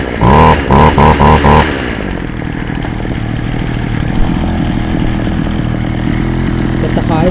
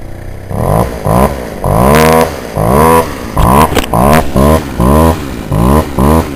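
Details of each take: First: Poulan Wild Thing two-stroke chainsaw, warm, started on half choke; a few sharp revs then an uneven, wavering idle that never settles, before high-screw carburetor adjustment; owner says it may need a compression ring and carb kit; rough running. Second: Warm Poulan Wild Thing two-stroke chainsaw after carburetor adjustment; the owner thinks it may still need a compression ring and a carb kit. Quick throttle blips climb cleanly and drop back without stumbling. Normal running.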